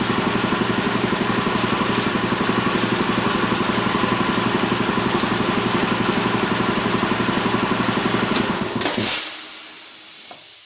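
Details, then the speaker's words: Champion VR5-8 80-gallon vertical air compressor: even pump thumping about four beats a second, then it cuts off and the tank drain blows off in a sharp hiss, expelling water moisture outside; normal run and drain at shutoff. "hear discharge right there just shoots that air got a 90 here shoots it right out right out the bottom shoots it right outside and gets all that water moisture out there"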